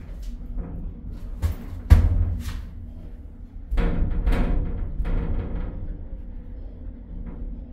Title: UK🇬🇧England's Dodgy Scariest Lift in the United Kingdom Big Loud Noises.A Tragedy in the Wainting!